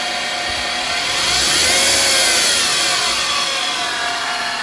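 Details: 2008 Mercedes-Benz C300: constant high-pitched drone over the engine that persists after warm-up; cause was the alternator, replaced and noise gone; alternator whine.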